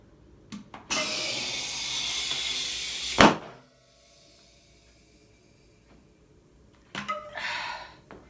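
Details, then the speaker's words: Tubeless conversion of 27.5" 2.8" plus MTB tyre, inflated with CO2 canister before adding sealant: long rush of gas, one sharp bang as bead snaps onto rim, then shorter hiss; bead seated normally. "We can use the CO2 canister here to inflate the tyre, pop the bead against the rim to give us a nice seal. Then we can deflate the tyre, put the sealant in and then re-inflate the tyre to the pressure we need. You will hear a bang or two."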